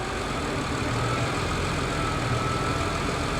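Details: 2005 hybrid with about 175 thousand miles, idling in gear at a salvage auction: low, smooth engine hum, steady with no knocks, clunks or surges; motor and transmission mounts feel fine, engine moves only slightly.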